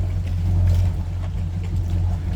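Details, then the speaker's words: Boat inboard engines on a lift, lowered into the water: a steady, even low rumble as both fire right up and settle, repeated quickly; normal start and idle. "fired right up both fired right up I'm going to do that one a few more times here let's try it again off it sounds good fast"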